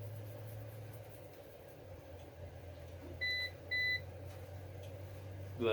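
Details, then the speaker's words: APC BN450M 450VA (255 W) UPS unplugged from mains, running on battery at a 230 W load: two short high-pitched beeps half a second apart over quiet room hum, an on-battery alarm; the battery lasted about 40–45 seconds. "buzzer isn't as annoying as uh the older generation ones and it lasted 40 seconds"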